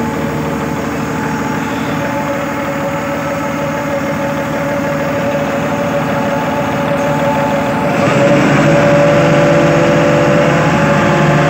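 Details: Hitachi Zaxis 200 excavator diesel after throttle/accelerator cable fix, cable previously tied with string: steady even idle then picks up cleanly to higher speed and holds smoothly; accelerates normally.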